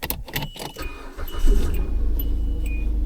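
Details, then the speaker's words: 2003 Hyundai Sonata after replacing the PCM with an uncloned unit (VIN mismatch): engine catches quickly and settles into a smooth, even idle with no stumble or skip; misfire gone, repair confirmed. "right, it runs nice and smooth, no more misfire."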